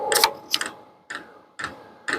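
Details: Vevor diesel heater, close on the fuel dosing pump while running hot: crisp, even ticks about twice a second over faint fan hum, one drop per click, normal fuel metering with no leaks.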